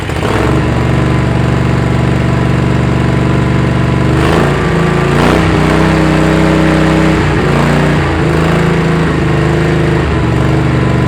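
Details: Kohler Command CH18–CH25 engine that ran rich and rough, now on a temporary replacement carburetor and non-OEM coils: it settles into a steady beat with occasional uneven dips and rev wobbles; it runs on its own but still a bit rough.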